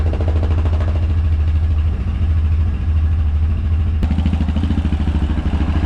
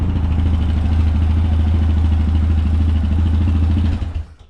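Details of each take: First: Yamaha Rhino 700 single-cylinder after engine rebuild, warming up at fast idle: even, clean thumping, no knocks or misses; sounds good, idle to be adjusted down slightly. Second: Yamaha Rhino 700 after engine rebuild and reassembly: steady single-cylinder thumping at a brisk idle before shutdown; idle still slightly high, needs idle and throttle cable readjustment.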